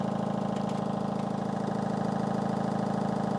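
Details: 8kg Fisher & Paykel front-load washer: steady rhythmic thumping about four a second over the machine hum. Goes away with hand pressure, so not the drum; worn shock absorbers or stabilizer suspected.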